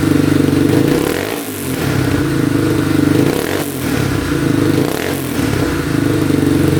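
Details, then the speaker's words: 2002 Yamaha Warrior 350 quad, first run after a mouse nest blew out of the exhaust; single cylinder blips up and settles to a fast even beat with no knock, smoking quite a bit, owner unsure if exhaust oil burning off or rebuild needed. "Wow, runs pretty good. Look what came out of the pipe. Big mouse nest. Yeah, it sounds pretty decent."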